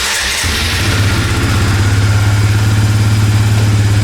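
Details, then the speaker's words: Suzuki Eiger ATV single-cylinder after a carburetor rebuild, started with choke: catches on the first try and settles at once into a steady, even idle with good throttle response; running great. "Runs perfect, look at that. good throttle response. It's running great now."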